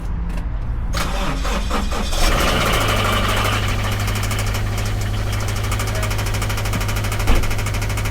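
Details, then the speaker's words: 2013 Scion FR-S at start and idle: engine catches then settles with a light, steady metallic ticking knock; customer complains of knocking, inspection found a cylinder 4 misfire, teardown recommended. "I don't know if you hear it, but Uh this is the car with a knocking sounds. So pretty much customer complaint you know with a knocking sound."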